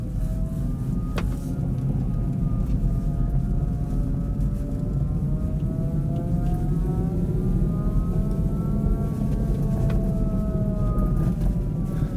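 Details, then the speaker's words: Kia e-Niro EV driven in -35°C in northern Finland, battery around -20 and -13°C, heater at level two: clear whine rising and falling with road speed, unusually loud like an air-raid siren; owner suspects noisy drive motor in cold. "oh did you hear that weird noise oh that motor's noisy as"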